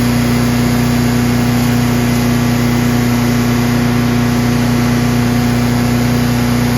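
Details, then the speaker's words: Craftsman chipper shredder with a heavy flywheel, given away by a neighbor with old brownish gas in it; it started on choke with one slow pull and runs as a loud, even single-cylinder drone with no misses or knocks. Healthy normal running. "So there's the Craftsman chipper shredder. It's in excellent condition, and as you guys saw, starts right up."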